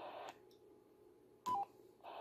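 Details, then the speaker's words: BaoFeng UV-S9 receiver with squelch tail elimination (STE) turned off on the transmitting radio: soft hiss, a short burst as PTT is released, then the static returns immediately with no muting. This is the normal squelch tail. "so if I turn off SCA you can see that as soon as I let go of PTC the receiving radio immediately returns to a static sound"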